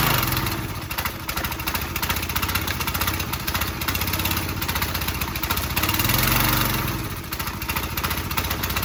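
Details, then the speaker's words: Small-engine pressure washer on fresh gas, throttle at fast, pull-started: it runs rough with revs sagging and surging, then fades and dies out. This is expected of a carburetor-related issue, and a clogged carb jet is the likely culprit. "So you can kind of hear. Probably easier to pull. And you kind of hear how it's dying out."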